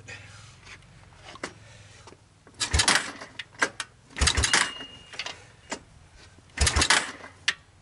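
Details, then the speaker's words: 1986 Honda TRX200SX ATV, sat three years, seized carburetor replaced, oil checked, choke on, first cold start attempt: irregular pull-start cranking with solid compression puffs but no firing; it turns over without starting. "let's see how she does well sounds good it's not trying to start but it sounds pretty good"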